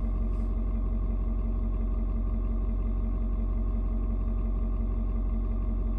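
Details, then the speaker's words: Ford Super Duty 6.7 diesel, cold start at 56°F: a deep, even rumble that shifts tones while the engine adjusts fuel to the outside temperature, then mellows with a slight rpm drop. Steady beat with no knocks: normal cold-start idle. "you can hear the truck engine kind of doing different tones what it's doing is it is reading and figuring out temperature outside it's trying to figure out you know um how much fuel to mix with the air so it's found it's uh it's point where it needs to be that's why kind of mellowed out a little bit now"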